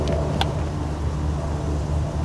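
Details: 1968 Chrysler Imperial Crown V8, sat 30 years, idling: rough, uneven low rumble and dull thumping under belt noise; bad coil, distributor suspected, vacuum lines and wires shot, makes compression, needs timing set.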